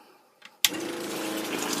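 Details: Small water pump on a solar shed system after an MPPT charge controller upgrade and repair, switched on with 7.5 A fuse not blowing; click then smooth steady hum with light watery hiss, running freely with no grinding.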